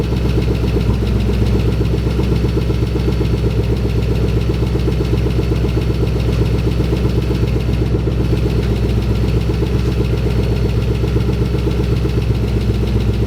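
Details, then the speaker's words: 2011 Mustang GT with freshly installed Gen 1 Coyote V8, first start at idle: faint quick tick about four a second over a deep steady idle; owner suspects an exhaust leak from an unattached rear exhaust section; motor otherwise sounds healthy. "there's a slight ticking noise but I think it might just be an exhaust leak there's a back section that's kind of like not on so it might be ticking through that"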